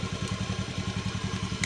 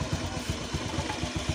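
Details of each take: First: Fuel-injected scooter after an idle adjustment, charging voltage set to about 12.4 V: quick, even low putter holding a constant beat without hunting or dropping out; idle stable and healthy. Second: Fuel-injected scooter, freshly started, before an idle-screw adjustment: loose, uneven putter at about eight beats a second with thumps varying in strength; idle not settling.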